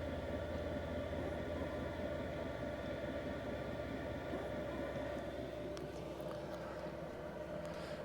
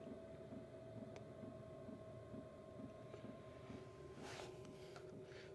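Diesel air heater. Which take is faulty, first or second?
first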